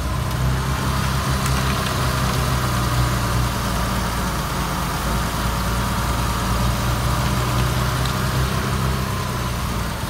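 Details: BMW Bavaria at idle: steady low idle with a slightly uneven, wavering pulse and faint hiss; suspected vacuum leak. Rough idle.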